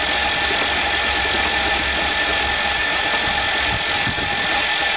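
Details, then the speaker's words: Hydrolocked van engine after driving into a lake, intake manifold off and spark plugs out to expel water: fast, steady whirring crank with no compression beats; starter motor is good. "at least the starter motor is good"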